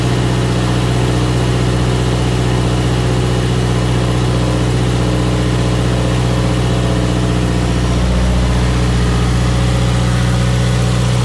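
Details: Subaru WRX 2.0 first start-up after replacing all valve shims, oil primed by cranking, fuel pump fuse refitted; steady, even idle with low smooth pulse, no valvetrain ticking or knocking; healthy normal idle.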